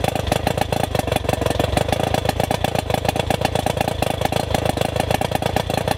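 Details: Rough-running outboard during spark check, before its ignition power pack was replaced: choppy, rapid firing about ten beats a second that never smooths out; rough running from failing ignition power pack.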